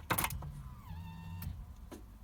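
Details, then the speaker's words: Barn-find Volvo 480ES with replacement ECU fitted, ignition on after fuel pump connected: click then short half-second whirring hum stopping cleanly; normal fuel pump prime. "we heard a quick prime and then it turned off"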